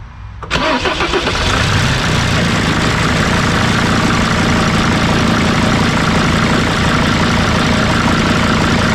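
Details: Mercedes T1N van with OM612/OM647 diesel swap, after swapping the reversed vent tube heater and high-pressure pump connectors that caused stalling; catches after a short crank and settles into a steady, even idle with no exhaust pulses; runs smooth.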